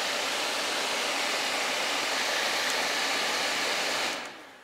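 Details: 2006 Saab 9-3 new HVAC blower motor after old one failed from water via blocked drain: steady even rushing air at constant speed, no rattle or squeal, winds down cleanly; blower healthy.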